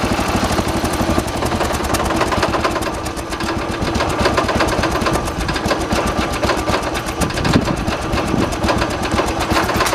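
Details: 1986 John Deere 216 16 hp single-cylinder tractor during carburetor tuning outside: fast, rough chugging with rattling, shaking beat; heavy vibration, which owner says is normal for these 16 hp engines.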